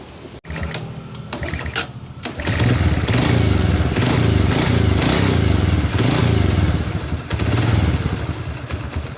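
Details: Yamaha Vega R / Crypton with lost ignition, after replacing the dead CDI stator coil: engine catches after a couple of seconds of cranking, then settles into even, steady idle with no misses; ignition working normally.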